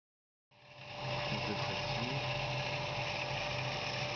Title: Cavitation Dans une pompe